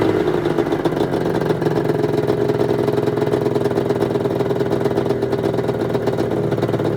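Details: 1996 Arctic Cat ZRT 600 two-stroke snowmobile after fuel pump rebuild and priming: steady even burble at constant pitch, no misses or knocks; holding good after air bubbles in lines, normal idle.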